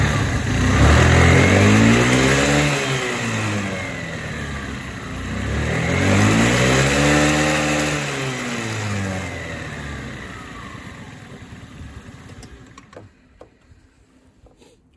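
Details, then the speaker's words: Honda Today scooter revved up and down twice; a light regular ticking that quickens with speed rides on the engine, caused by a loose flywheel. "đây chắc Trắc là do nó bị lỏng cái này các bạn ạ Đây nó bị lỏng cái này này cái bánh đà này bị lỏng này"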